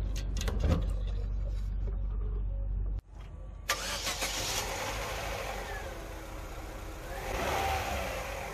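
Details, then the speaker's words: Petrol engine after replacing a fuel pressure regulator that had stuck particles inside: steady idle, then clean, prompt revs with no lag or hesitation. "with the new fuel pressure regulator there is no lag and instant acceleration on the engine"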